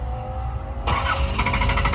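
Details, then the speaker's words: 1986 Nissan 300ZX 3.0 cranks steadily with a sharp jump but won't catch; fuel pump lacks its ground signal from the ECU. Grounding the pump wire manually makes it start and run, and it dies when released. ECU grounds need checking. "no arranca en cambio Si yo le pongo Tierra desde aquí Dale dale marcha le voy a poner tierra vean ahí prendió acelérale"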